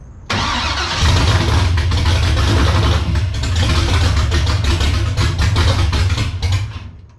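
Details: BMW E82 pro drift build, first start after ground-up rebuild: catches quickly, then idle rises and sags unevenly without settling; idle would not stabilize.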